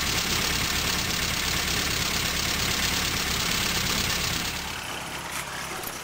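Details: 1974 Morris Mini, 1400cc MiniSport short engine, about 10 miles, first start after seven years with fresh oil but old fuel, some choke: uneven, loping idle with hissy background, then dies down; rough idle, cause not confirmed.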